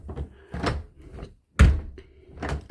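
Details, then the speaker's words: Repaired house main door lock closing: soft handling sounds, then one solid clunk as the latch seats and the handle lifts; works freely without binding, though the handles are still wobbly; normal operation. "So, if we were to close it, voila. That's the way it should close. You should hear that nice clunk."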